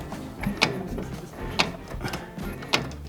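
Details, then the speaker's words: Piaggio Ape 50 engine turned slowly by hand with clutch cover off, engine noisy when declutched: sharp metallic clack about once a second over quiet gear whir, sounding like gearbox. "Gehört, wie es da Klack macht. Es klackt und es tönt wie Getriebe."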